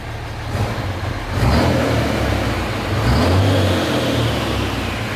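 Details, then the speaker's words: 2005 common-rail Cummins diesel swapped into 2008 Ford F-350 dually, after fixing rough running: two quick throttle blips, rises and settles cleanly with no miss or knock, no smoke; runs solid, head studs still to be hot-retorqued. "yeah it sounds good now listen to that no smoke"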